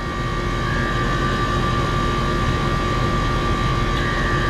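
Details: R-410A AC system being charged. The compressor gives a loud steady drone with a sharp whine near 1 kHz over a rough low rumble; it sounds horrible and is failing, needing replacement.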